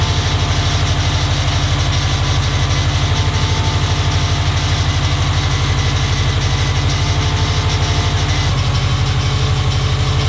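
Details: Subaru STI engine first start after drivetrain swap with new downpipe and catback exhaust, warming up: deep even burble about three pulses a second, no knocks or misses; AFRs decent, oil pressure good, idling cleanly.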